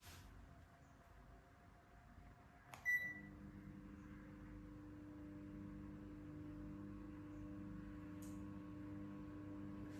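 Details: KDK ceiling fan (models V60WK, V56VK, R56SV, Z60WS, K14Z9, K15Z9, K14Y2, or Panasonic equivalent), before repair: a click, then a steady low electrical hum with a higher whine as it runs; failing capacitor, fixed by replacing it with a 1.8uF 500VAC one.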